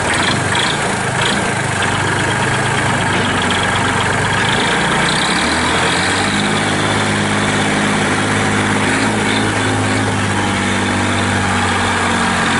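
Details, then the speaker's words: 1997 Massey Ferguson 240 4x4 diesel tractor with loader, 1881 original hours, 2-stage clutch, 8 forward/2 reverse speeds, fired up before running through gears: steady, even diesel idle with low regular beat, no knocks or misses. Normal idle. "So I am going to fire it up here. We're going to run through its gears. I'll show you the full drive works."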